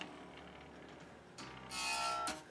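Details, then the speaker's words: Newly strung bass guitar built from a kit: plucked notes carry a bright, rattling fret buzz; saddle heights and string heights still need adjusting. "you can hear the buzzing I'm gonna have to adjust the saddle Heights and the string Heights but that's all set up"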